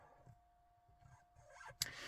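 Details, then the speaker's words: Jaguar XK (X150) cabin humidity/temperature sensor aspirator fan behind the steering wheel, after being worked on. It is at least 50% quieter, now a very faint, steady high buzz. This is normal operation. "all I can hear is a faint a very faint buzzing noise let's just close the drivers on top and all you can hear is a very fine buzzing but it's so much quieter than it was before"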